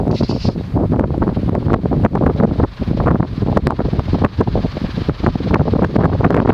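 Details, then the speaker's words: 2006 Casablanca Wailea 31.25" ceiling fan, 153x20mm motor, 25-degree pitch, wicker blades, on high: steady soft whoosh like a natural breeze, wicker wispiness, no ticking, rubbing or wobble; runs smoothly. "Sounds like a gentle breeze, actually. Not gentle breeze, but sounds like a natural breeze."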